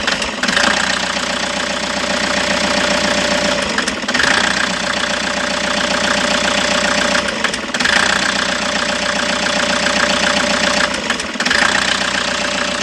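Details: Toyota HiAce: rough, lumpy idle with a sharp stumble and dip every three to four seconds; engine misfire at idle, diagnosis in progress.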